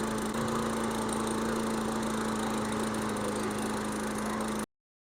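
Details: Briggs and Stratton 140/155cc lawn mower engine after head gasket replacement and carburetor cleaning, left outside over winter with gas cap off, possible water in tank: steady even drone holding one speed, no stumbles or surges; normal running.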